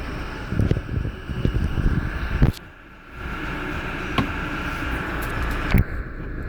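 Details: 2016 Toyota Hilux SR5 automatic transmission, hard to change gears, giving sharp single clunks over the vehicle drone on gear changes.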